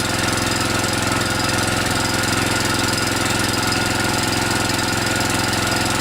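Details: DR TR-1 walk-behind trimmer, Kawasaki FC150V 6.75 hp engine, warmed up and revved after carburetor cleaning and float needle work: steady, even high-rev buzz with no misses or surging; normal high-speed run.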